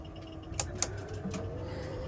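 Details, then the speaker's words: Inverter switched on with shore power plugged into its output (online hack for running aircon), microwave on, light flashing; steady mid-pitched electrical hum with sharp clicks — inverter distress from power backfed. "I've just turned the inverter on with the power plugged in and what I can see straight away is something flashing and it doesn't appear to be liking what I'm doing very much."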